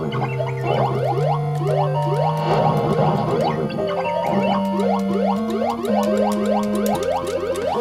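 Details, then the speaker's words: Atari Star Wars arcade machine sound board playing jumbled tunes and effects in the wrong order, as if an address line is stuck. The cause was the parallel interface between the CPU board and the sound board, which was then repaired. "I think there's an address line stuck or something on this as it's not selecting the right song right sounds at the right time"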